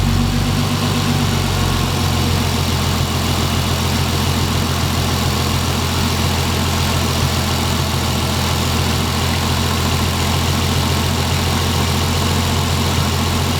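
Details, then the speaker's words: Turbo Lexus IS300 after a 1200cc injector and Hellcat fuel pump upgrade, pump on a solid state relay. Fully warm, about 190–195°F with the fan on. Loud steady low idle, no hunting, no leaks; healthy. "It runs. I'm glad. I didn't I didn't see anything leaking at all. I let it warm up completely."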